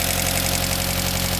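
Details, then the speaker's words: Mitsubishi Eclipse GSX (DSM) idling after its build while being checked for leaks underneath; steady even idle with a smooth unbroken hum, no ticks or knocks; normal idle. "make sure we have no leaks in the bottom of our anything like that it sounds good guys sounds really good"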